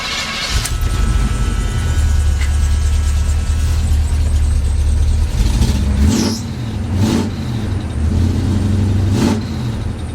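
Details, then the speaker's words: Squarebody Chevy V8 with carburetor, after fitting used parts: deep rumble rising and falling on throttle with sharp pops on revs; owner suspects bumped ignition timing. "I was thinking I would have done a video of how it was acting before but I didn't sounds like I might have bumped the timing"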